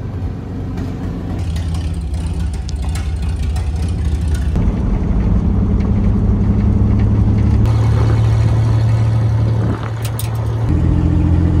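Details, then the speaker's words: GMC truck abandoned 15 years, now revived. A loud, raw, deep rumble swells with each throttle blip. Exhaust leak: the pipe is disconnected at the manifold and still needs welding. "well col's happy with how it turned out I uh am going to have to come back and weld up the exhaust as well as a few other things"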